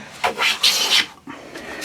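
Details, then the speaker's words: Hand plane squaring a cupboard-door board edge with a light first pass: short, broken rasping strokes with gaps instead of one continuous hiss, as the blade skips the high spots; no full-length shaving yet, then it starts to engage. "can hear it's not one continuous sound so we're not getting a full length shaving now we're starting to get a full length shaving you might have heard that right up this end"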